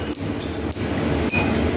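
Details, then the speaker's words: Newly finished metal planer, first test run on flat belt drive: steady machine drone with a soft tick about every half second as the belt fastener passes over the pulley; normal for flat belts. "And you can hear the fastener going over the pulley here. And that's typical that is on flat belt drives."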